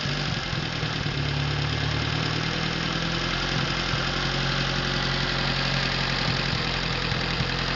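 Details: Atomic 4 inboard gas engine overhauled last summer (new pistons, rings, valve springs, plugs, wires, higher-flow water pump), run on a test stand before install in a 17-foot homemade wooden boat; steady, smooth idle with no knocks, misses or rattles, normal idle.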